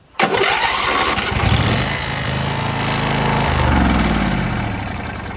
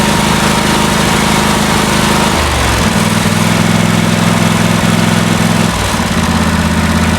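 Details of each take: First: John Deere LT166 riding mower: engine cranks, catches and settles into a fast idle with a thin metallic buzz, suspected to be a loose part hitting something; not confirmed. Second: John Deere LT166 riding mower after carburetor cleaning, timing fix and service, just started: small engine idles with an even, steady beat and no rise-and-fall surging, showing the surging is fixed.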